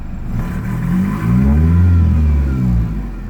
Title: 93 foxbody 2.3l rough idle 2